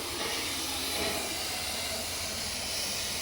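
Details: Junkyard SN95 Mustang with a cheap eBay radiator: one fan of the twin-fan shroud was miswired when piggybacked onto the stock single-fan wiring, so the engine overheated; loud continuous steam hiss over the running engine.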